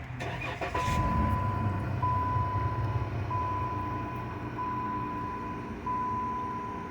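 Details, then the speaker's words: 2013 Chrysler 200 after replacing the faulty HVAC heater actuator behind the dash: engine starts and idles smoothly with only a chime, the previous clicking from the dash is gone; normal operation. "see all right smooth as butter no more clicking cool"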